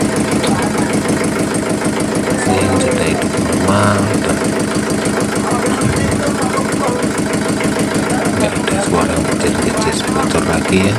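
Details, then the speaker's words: Yulin 2105 single-cylinder diesel rice mill engine after fixing leaking valves (hard starting, compression leak): steady thump about 200 beats a minute, even and clean with no valve leak hiss; normal idle. "Kita coba putarpar dan kita dengarkan suara ngejnya ada enggak. Ternyata enggak ada lagi ya. Suara bocor kelapnya sudah enggak ada lagi."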